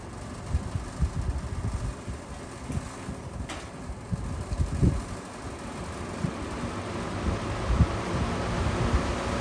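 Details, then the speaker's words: Vintage box fan running: low steady fan rush with loose irregular taps and creaky buzzing; grill flexing on its side supports and rattling. "You can hear it's creaky. It's like an old man. It's like how I sound when I get out of bed. Yeah, you can hear that. It's really that grill that's moving around."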